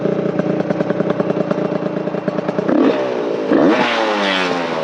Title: test drive after rebuild